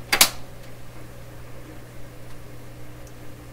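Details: 1928 RCA Victor Model 28V radio during a pre-tune-up check: a click, then a steady low mains-type hum from the speaker; source not yet found.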